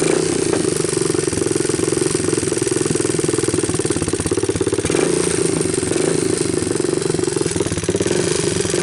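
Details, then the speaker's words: 1988 Honda TRX200SX abandoned for years, running with a new PZ27 carburetor and bypassed harness, nearly out of gas: quick, even single-cylinder pulses with no knocks or rattles over the exhaust, a healthy motor. "I don't know what do you guys think I think this is a healthy motor"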